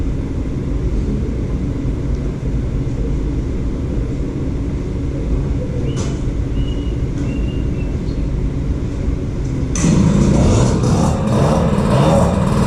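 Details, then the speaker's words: Peugeot 103 moped with air-cooled 70cc Malossi cylinder, 16 carburetor, 86 jet and airbox, just started. Buzzy two-stroke rattle holding a fast, unsettled idle that never drops back. Idling a little high. "Starts up really nice. It's idling a little high."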